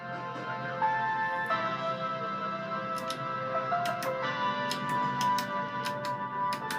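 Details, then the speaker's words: Audiotronic amplifier under repair, playing music from a phone through speakers: sharp irregular crackles and pops as the balance slider is moved; owner suspects the slider rather than the channel, and the switches are temperamental; crackling audio. "there is something going on with our Channel cuz if you push this up here you can hear it going crackly but I don't think that's anything to do with the channel as much as it is to do with this slider"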